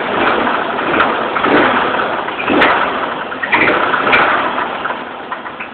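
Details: Chevrolet Monte Carlo at idle: uneven knocking over a rough idle, some hits sharper than others; owner suspects a bent pushrod, unconfirmed.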